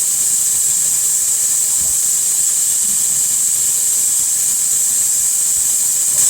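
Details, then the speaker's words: CNC milling an RMR optic cut in a Glock 21 slide, same-depth spring pass rerun of cleanup code: steady high spindle whine with faint cutting hiss, still taking material; tool deflection, needed two spring passes. "And this should not take any stock, it should just be a spring pass. Yeah, and I can hear that taking material."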